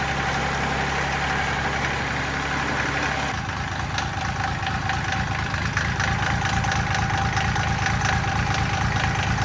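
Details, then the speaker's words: Mitsubishi L3E 3-cylinder diesel (about 20 hp) powering a log splitter, after a low-cost rebuild fixing a valve fault and zero compression in the middle cylinder: steady, even idle clatter on all three cylinders, smoother, less smoke; no glow plugs, cracked thermostat housing leaking. "it's definitely running on all 3 cylinders now. Yeah, for sure. It's running a lot smoother. It's not smoking nearly as bad."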